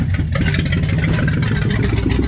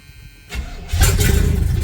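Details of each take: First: 1978 Chevrolet K20 V8 first start after sitting for years under a tree, carburetor suspected junk: fast, even idle with no misfiring or stumbles, runs well but idle sits way too high. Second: 1978 Chevrolet K20 V8, revived after sitting for years, brakes doubtful: brief crank, catches almost immediately and settles to a strong, even low rumble; starts way too good and now charging.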